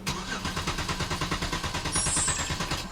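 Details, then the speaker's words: 2011 Hyundai Genesis 3.8 L, crank no start: cranks evenly at about three beats a second without catching, no mechanical or compression issue suspected; failed fuel pump found. "so there is no inconsistency in the way it cranks it cranks very well i don't think we have a mechanical issue"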